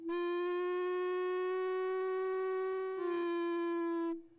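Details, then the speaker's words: 1910 Stanley Steamer Model 60 during cold start-up: loud, steady mid-pitched whistle for about four seconds as fuel rushes into the vaporizer and resonates like an organ pipe; normal, mostly heard when opened up. "loud Whistling noise that you just heard is the fuel going into the into the vaporizer at a high rate of speed and it's sort of like in a pipe organ and it's and it resonates and causes that whistle"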